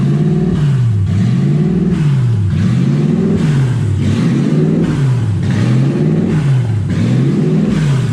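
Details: 1UZ V8 in a Ford Falcon, warm with radiator hot and gauge around 160, first drive: engine speed rises and falls about every second and a half and never settles. Owner unsure why; erratic high idle, IAC valve stuck open.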